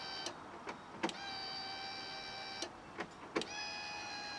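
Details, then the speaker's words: Fiat Panda 4x4 project with engine problems and injectors not firing, ignition switched on: a few clicks, then a steady high buzz of even pitch for seconds as the fuel pump primes the injection rail normally. "think that's it pumping yeah i'm just filling the injection rail yeah there you go hopefully that's the injection rail filled up"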